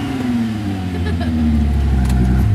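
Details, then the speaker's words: Stock car revved after taking the exhaust apart; deep, loud, throaty drone swelling with revs, far too loud in the car. Owner suspects missing donuts let vibration break the welds off and the pipe also failed. "Sound too bad, but it's too loud in the car though."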